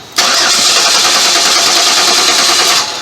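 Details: 2011 Chevrolet Impala 3.5 V6 flex fuel, cold, died on highway: starter cranks steadily about three seconds with even hissing whir but never fires; fuel pump fuse and relay confirmed working during crank.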